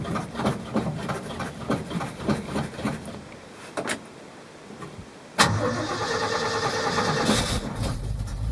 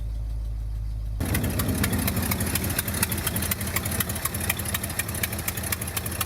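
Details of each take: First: 1971 Ford F250 Highboy V8 carbureted truck, first start since last fall, pedal-pumped with no starting fluid: a few cranks, then it catches and settles into a steady idle with the choke working. Normal cold start; an exhaust leak at a bolt fitting was noted. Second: 1971 Ford F250 Highboy V8, first cold start of the year with choke: catches and idles with sharp, irregular puffing tick over low rumble, an exhaust leak at a bolted fitting.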